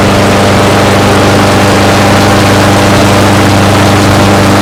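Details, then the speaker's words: 4.5 hp Briggs & Stratton push mower before adjustment, later set to 3100 rpm. A steady single-cylinder drone, lower and slower-pulsing than it should be; the governed engine speed is too low. "It's a 4.5 horsepower Briggs and Stratton, and the RPMs are kind of low on it, so I wanted to show you guys how to adjust them on this model."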